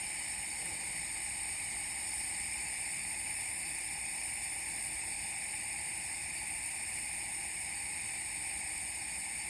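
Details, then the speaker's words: Bleeding first-floor radiators of a hot water boiler system after flushing and refilling: steady thin high-pitched hiss of trapped air from the bleed valve until it switches to water. "now I am bleeding the first floor radiators radiators radiators um you can hear the hissing noise and then pretty soon it'll just burst with uh water"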